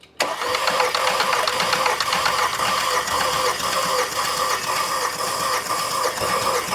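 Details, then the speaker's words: 2010 VW Tiguan 2.0 TSI no-start (P0300, P0341, P0016; timing chain skipped teeth): cylinder 1 compression test, steady even starter pulses, about 230, likely raised by far too much oil in the engine. "okay so we [Music] have about 230 I would say that's not bad that's probably due to a lot lot of oil in the engine cuz that's way too much"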